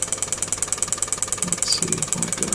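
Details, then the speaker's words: Relay module on a +5 V supply, pulsed by a signal generator raised from once a second to about 10 times a second: sharp, even ticking merging into a buzz; normal clean relay switching at a fast rate. "This is blinking once a second, and if one increases it, that's 10 times a second."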